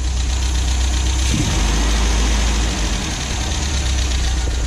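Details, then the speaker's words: 1974.5 MG MGB with HIF4 carburetors after adjusting float height to cure flooding: strong even low rumble, no misses or hunting, sharp throttle response; possibly idling better than ever. "Alright, the car might be sorted out. It is idling amazing, actually, and possibly better than it's ever idled after I adjusted the float."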